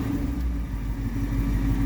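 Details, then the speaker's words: 1959 Ford Fairlane 500 V8 first run in 17 years, new gas tank, warming up with timing not yet adjusted: steady low burble, even firing, no knocks or misses; temperature gauge reads falsely high. "sounds good though. It does sound right good. Let it warm up some more."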